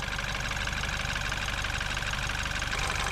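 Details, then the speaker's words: BMW X1 after a valve cover gasket replacement for a burning smell, started with the battery reconnected: an even, smooth mid-pitched idle hum with no ticking or stumbling. Leaked oil is burning off the exhaust manifold, and there are no leaks; a normal idle. "So, let's go in the vehicle and start the engine. So, as you can hear, the engine is running."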